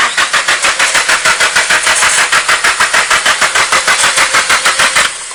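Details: SR20 engine, fuel pump primes, an unexplained hissing noted: starter turns the engine over at a steady three beats a second for about five seconds, never catches or fires; crank no start, cause unknown.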